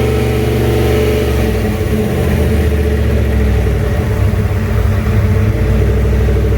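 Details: Junkyard 351W turbo V8 in a 1967 Mustang, freshly started on first fire-up, exhaust exiting off the fender; loud lumpy idle with a few throttle blips, rough running, owner says it needs a tune.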